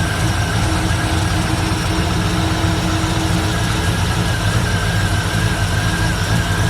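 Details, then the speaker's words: 1964 Ford Fairlane V8 with old Busch Series race carburetor: busy idle sitting well above normal, won't drop; throttle return spring too weak to return the throttle. "we've had a lot of issues with it so far it won't idle down it's still it's still idling up way too high"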